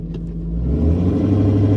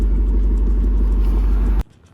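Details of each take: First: 2002 Ford F250 5.4L Triton after cold-start high idle drops to regular idle: deep rumble surging unevenly, RPM swinging 750 down to 500 then up to 1,000; rough surging idle from clogged idle air control valve. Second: 2002 Ford F250 5.4L Triton V8 after cleaning the idle air control valve, not fully warmed up: deep, even, steady idle with no stumble or hunting, no codes; normal idle.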